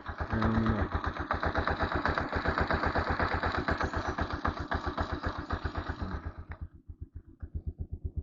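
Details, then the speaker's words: TMX single-cylinder motorcycle at about 59,173 on the odometer, just after setting both valve clearances to 0.06 mm: even idle thump at about four beats a second with only a faint light tappet tick, far less than before; idle lowered; clearance acceptable. "start nakaano yung ano niya oh idle nakagitna binabaan ko lang syempre may lagipik 'yan pero hindi na siya kagaya nung dati sobrang lag"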